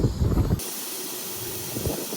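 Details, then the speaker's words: Flat HVAC unit pressurized with nitrogen for leak check: after handling thumps, a steady sharp hiss of escaping gas starts and holds, possibly from a popped valve core; refrigerant line leak. "Okay, we pressurized this one. And I can hear something."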